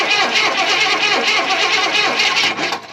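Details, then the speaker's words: 1994 Chevrolet K1500 Blazer V8, sitting since 2007, new gas tank and fuel pump, on jump pack, waiting for fuel pressure: starter turns the engine over at about three uneven beats a second but it never catches. Crank, no start. "How long it takes to get fuel pressure? Oh, it just kicked off. So, we should have some fuel pressure here. Let's try again."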